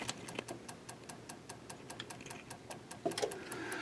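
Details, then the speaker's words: 25-inch K7500 arcade monitor chassis at power-up, after R104 and the horizontal output transistor were replaced: sharp, even ticks about five times a second as the supply hiccups, because the new HOT shorted immediately. "one two three nope you can hear it ticking shorted immediately listen"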